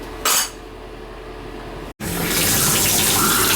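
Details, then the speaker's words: Symmons tub/shower valve after repair with a new spindle and cap tube, packing left a little tight. Steady rushing water flow with no drips, squeal or chatter, and no longer leaking. Normal flow, no leak. "Now, I left the the packing a little tight, so it's going to be a little harder to turn, but at least it's not leaking."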